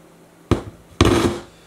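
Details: Vintage Pioneer SX-737 receiver whose relay won't click in: two sharp loud pops about half a second apart over a quiet hiss; phono preamp needing a rebuild is suspected, not confirmed.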